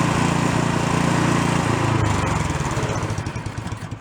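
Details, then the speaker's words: Small low-end snow blower single-cylinder with no electric start, off choke during main jet sizing: putters unevenly and the beat falls away, running better on choke. Lean; one jet size up is planned. "i think i'm going to go one more size up you can still see when i put the choke on it's running a little bit better"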